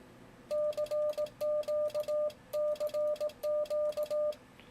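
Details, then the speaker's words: Yaesu FTdx10 in CW mode on dummy load with full break-in (QSK): sidetone near 600 Hz with sharp relay clicks on every dit and dah as radio switches transmit/receive. "you hear that relay chatter there's a relay in there that's switching the radio between transmit and receive for cw mode"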